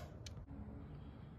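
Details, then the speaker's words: 12 volt relay in a 1948 Dodge Power Wagon conversion, coil energized with 12 volts and ground from a Power Probe: a single crisp click in a quiet room; the relay is switching normally. "a relay is a load switch how it works is there's a little coil in there that requires 12 volts and ground to function and if I set the Power Probe to power mode and click this you can hear that switch"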